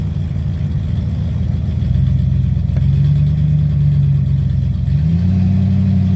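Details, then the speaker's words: 1995 Ford Mustang with newly swapped C4 3-speed automatic, mount installed, car on the ground, stall test: steady deep engine drone under load, pitch settling then stepping up slightly near the end; even and smooth, healthy. "Alright guys, so we're gonna put it up on the stall and see what happens."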